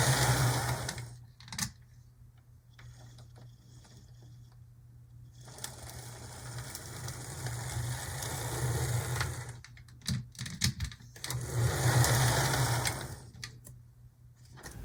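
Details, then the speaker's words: Athearn Blue Box HO scale B&O locomotive, long unused, on test track: smooth even motor whir, steady through each run, no catching or stutter; runs like new. "I think this is running about as good as it would have clean out of the box if you would have bought it from the shelves of the store"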